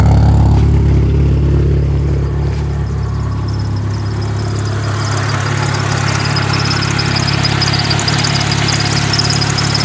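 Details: 1997 Mitsubishi Eclipse RS idling: a low, uneven, wavering throb; the owner doesn't know the cause and says it overheats when sitting still but is fine when driven.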